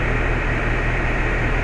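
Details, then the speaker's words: House AC condenser and coil newly installed in R22-to-R410A upgrade: steady low hum with smooth fan rush, no knocks or rattles; running cleanly with no issues. "all right there it is finished product running like a charm no issues took me about four hours"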